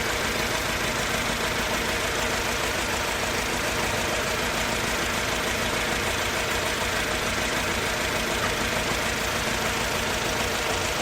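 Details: Mercedes-Benz C200 at idle, backfiring and losing power on pull-off: an uneven, choppy idle with a missing pulse, as if running on only two or three cylinders, under heavy hiss. Coil packs and all four plugs test as firing. Misfire, cause unknown.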